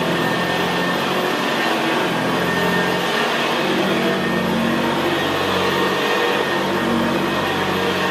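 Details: 1975 Hoover Senior Ranger U4002 vintage upright vacuum cleaner on carpet: steady, very quiet motor hum with the low gravelly brushroll growl typical of the Ranger; normal healthy running.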